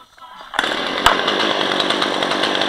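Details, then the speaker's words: Chainsaw engine not yet at operating temperature idles fine with a busy, even buzz, no stumbling or surging; owner says after about 10 minutes warm it idles really slow, sounds weird and runs badly; normal cold idle. "it sits there it's it's idling fine right now but after it warms up it starts idling really slow"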